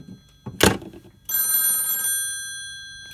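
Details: Western Electric 302 telephone after fitting spade lugs for a connection block, test call: a thunk, then a crisp, steady bell ring under a second, ringing out cleanly; ringer working properly.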